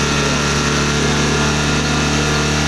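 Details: Honda Beat ESP with a stumbling complaint, after replacing the EOT sensor, warm with temperature reading about 86–89 °C: smooth, even idle with a steady low hum, no misses or hunting; running normally.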